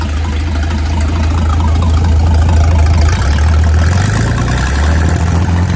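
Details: Mid-1950s Chris-Craft Model W (marinized Hercules WXLD) inboard in a 1940 23-ft speedboat, after overhaul following an oil-pressure-loss failure, test run: deep steady low rumble with an even beat, no knocking or ticking; normal running.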